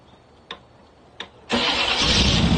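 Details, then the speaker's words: 1985 Camaro IROC-Z Z28 V8, first start after 10+ years sitting in a field, with fresh gas and a jump pack, and the rear of the throttle body not squirting: two faint clicks, then it fires right up and holds a loud, fast idle that doesn't settle. "Okay, now the exhaust comes out the back. Okay, it's idling really high."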